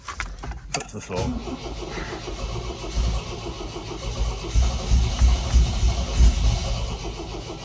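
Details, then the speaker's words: MGB GT after 20 years in hibernation, freshly started on choke: loping, uneven running with irregular lumpy firing that sounds very rich, smoothing out a little; good oil pressure. "Sounds very rich. I've got to turn it off in case it doesn't go again. Okay, she's smoothing out a bit."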